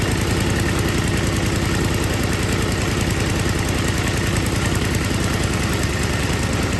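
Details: MTD Yard Machines snow blower, older model with Tecumseh 5 hp engine, after carburetor rebuild and gasket check for a no-start: small single-cylinder runs at an even, steady beat of about three and a half firings per second; normal running.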